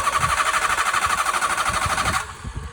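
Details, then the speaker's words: Used Hyundai Accent: steady, rapid cranking for over two seconds without catching; seller blamed the battery from sitting unused; a small crack was found on the back of the fuel pump. "ി ഇങ്ങനെ start ആവാൻ lag ഉള്ളപ്പോഴത്തേക്കും ചോദിച്ചപ്പോഴത്തേക്കും അവര് പറഞ്ഞത് എന്ന് വെച്ചാൽ വണ്ടി ഓടാതെ കിടക്കുന്ന വണ്ടിയാണ് ബാറ്ററിയുടെ ഇഷ്യൂ കൊണ്ടാവാം ഈ ഒരു വണ്ടി ഇങ്ങനെ സ്റ്റാർട്ട് ആകുന്നത്"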